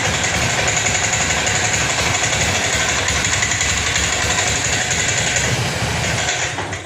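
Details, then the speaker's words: Honda Scoopy injected scooter: it idles but runs ragged with an uneven stumbling beat and dies when throttled. Mechanic first suspects the fuel pump. "saat dipaksa digas ini malah mati stansioner bisa namun ginjal-ginjel suaranya berebet-erebet saat digas ini tidak bisa"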